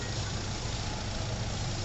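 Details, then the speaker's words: 2009 Hyundai i20 diesel after full engine overhaul, timing set and diesel filter changed, following a knocking engine noise and late starting: smooth, even idle with a steady low drone and no knocks or ticks; engine sounds healthy after the road trial. "और अब मैं आपको इसका sound सुनाऊंगा इसका sound ठीक हुआ"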